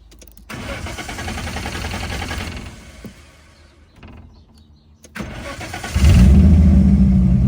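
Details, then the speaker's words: Car with suspected failing fuel pump, pump not heard when it starts: engine fires, runs a couple of seconds, dies to near silence, then restarts and revs; wiggling wiring doesn't change it; intermittent start and stall. "But if you can't like wiggle the wires to make it work, then why the [ __ ] does it keep stopping and starting?"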